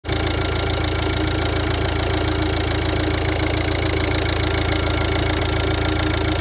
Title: Ford diesel rough idle